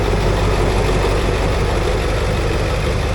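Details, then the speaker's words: Ford F250 7.3 Powerstroke diesel, after crank-no-start fixed with two starter motors, a solenoid and new injector driver module: deep, steady diesel clatter at even idle, no misses; engine light on, some smoke; normal idle. "Oh, I tell you what, that sounds ace."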